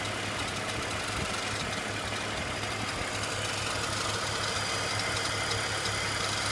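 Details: BMW E46 330Ci idling: harsh, busy rattling hiss over the steady low hum, a weird noise from the front of the engine.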